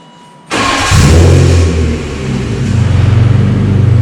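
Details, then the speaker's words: 1997 BMW M3 that cranked but would not start, with a crankshaft position sensor fault, once fixed: short crank, catches instantly, flares up and settles into a smooth, even idle; normal start. "It's fixed. Yeah. Yep. The way it started up. All right. That is so much happier. Good news. And that's the way the BMW M3 is supposed to start."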